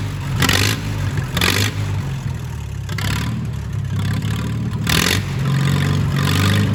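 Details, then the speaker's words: Old tractor restarted after long sitting: catches and runs with sharp throttle blips over a steady low rumble, pulling cleanly; good oil pressure but not charging. "it's been a long time since i've heard this baby bart we're not charging we've got good oil pressure we'll have to fix that"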